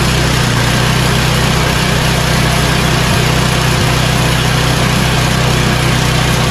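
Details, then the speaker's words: Yard Machines snowblower, 8 HP Tecumseh, after carburetor replacement and fresh oil, started on full choke and full throttle; loud, steady, even hum with no surging or hunting, fully tuned up; normal idle. "this snowball is now completely tuned up it's ready for the winter"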